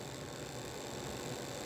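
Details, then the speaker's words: Royal Blue model chassis with ball-bearing axles at about 1.9 V and 0.7 A, after oiling a dry bushing that had caused a noise: soft steady hum with light even whir, no ticking or grinding; normal quiet running. "So as you can hear, it's pretty okay, pretty quiet."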